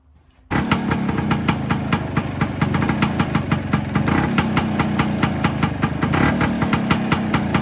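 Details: Warm Vespa PX with Cosa clutch after fitting CR80-style clutch friction plates. Steady popping idle holds evenly in first gear with the clutch pulled and brake applied. It no longer stalls, so the clutch no longer drags.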